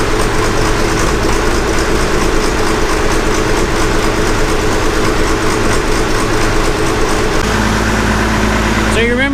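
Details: Gleaner F combine after replacing separator clutch shaft bearings, belt tightened and everything greased: steady, even mechanical drone with no grinding or squeal from the separator drive; much quieter than before, bearings and belt healthy.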